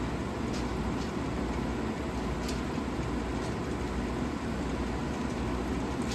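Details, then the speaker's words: 1956 Fedders Weather Bureau 6,000 BTU window air conditioner, Tecumseh compressor, after rewiring: even unchanging low drone with soft fan rush, no knocks or rattles; running normally. "Sounds good. Sounds really good, guys."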